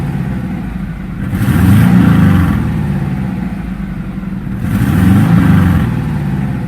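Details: 1997 Subaru Outback flat-four with UEL headers and stock exhaust downstream, including a large muffler, blipped twice: deep uneven burble rising and falling with each rev, no puffing or ticking; no exhaust leak.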